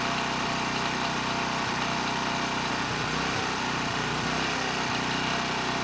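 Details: ETQ 2700-watt generator with brushless powerhead, found not running after years in storage: loud, steady roar at an even pitch without hunting or knocks at 100 watts over rated load, near 61 Hz and 118 volts; normal running under full load.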